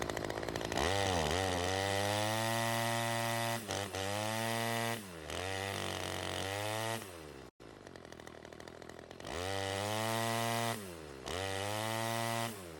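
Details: Ryobi CS 30 two-stroke trimmer test run after teardown, new adjuster fitted: revs climb hard and sag back repeatedly, high screaming uneven tone; still lean from an air leak, owner suspects the homemade gasket.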